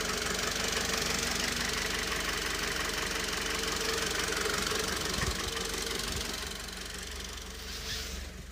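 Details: Mitsubishi 4B11 engine: an unexplained steady, fairly regular knock, about three per second, rides over the running engine; the source isn't identified.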